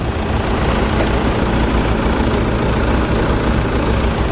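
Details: 2009 Volkswagen TDI diesel, 148,000 miles: deep, even diesel rumble idling steadily with no knocks or misses; a sound idle, though somewhat muffled.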